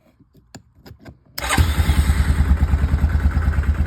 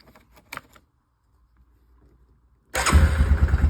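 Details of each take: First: Yamaha Kodiak 450 ATV no-start, jumped: a few separate cranking thumps, then it catches into a steady thump about three times a second; owner concludes the starter solenoid is faulty. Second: Yamaha Kodiak 450 ATV after no-start, old starter solenoid had power but wouldn't pull in, replaced with new one: after a pause it catches at once into an even, steady single-cylinder idle without misses or knocks; normal start and idle.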